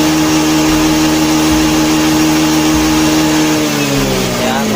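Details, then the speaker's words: Honda Beat FI scooter: engine holds a steady buzzing rev, then sags and drops instead of picking up when the throttle is snapped open, though slow throttle opening works; faulty throttle position sensor causing hesitation. "Nah kalau kita gasnya kita gas spontan langsung kumat dia ya Nah ya Nah tapi kalau tapi kalau kita pelintir secara perlahan-lahan dia mau teman-teman"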